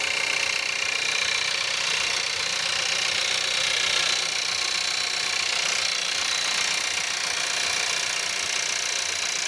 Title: Cold start at -5, Skoda Octavia 1.4 TSI, 150bhp - rattle, noise, sound like diesel